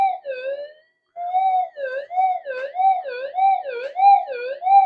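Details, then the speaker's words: Minelab SD2100 LC oscillator, frequency-setting capacitors being frozen: clear whistle near 700 Hz warbling up and down about every half second; chilled capacitors pulling the oscillator frequency. "Or even better, these capacitors here, which you can't see, there we go. These set the frequency anyway, around"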